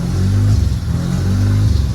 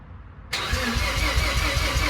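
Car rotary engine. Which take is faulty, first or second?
second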